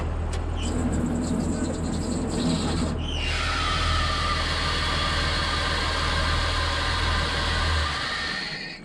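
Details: MF 3505 tractor baling with a Claas Rollant 85 baler, restarted after a screech from the front of the tractor (first suspected a belt): diesel clatters at idle, then a loud steady high screech holds until shutdown, a failed water pump.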